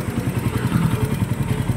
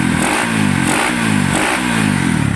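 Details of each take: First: Loud, rapid, even low thrumming at idle with a clattery edge on an engine still noisy though rod and other parts are replaced and the cylinder head is done; cause still undetermined. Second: Engine after overhaul and block replacement, sound check: loud, crisp single blipping up and down in even pulses, no knocking or rattle underneath; engine sounds healthy.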